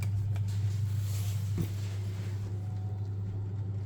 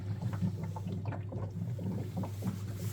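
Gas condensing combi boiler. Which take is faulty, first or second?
second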